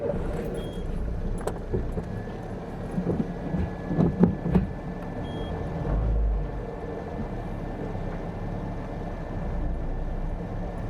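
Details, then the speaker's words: Car after replacing the damaged front-right control arm, road test: steady low road rumble with only faint soft bumps, no sharp knock; the usual clunk when shifting into reverse is gone; normal suspension, no clunk. "E aí é uma coisa que uma coisa que já percebi que já não deu aquele tanquinho de Hum que eu geralmente é aparecia quando eu acionava o carro para dar ré ele sempre dava uma pankadinha e já não apareceu"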